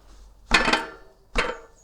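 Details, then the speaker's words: Marin bike rear wheel rocked by hand: two sharp metallic clunks about a second apart, with visible movement at the cassette and axle, showing play in the rear hub axle and freehub. "You can hear it, and you can see the movement in the cassette and the axle."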